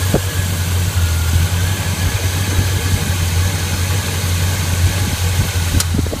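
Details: 1981 Chevy K10 V8 with Quadrajet carburetor, just fitted with a Mr Gasket heat dissipator against fuel boiling in the bowl and a new throttle cable replacing a binding one: steady, even low rumble at warm-up idle, no knocks, ticks or hunting; normal idle.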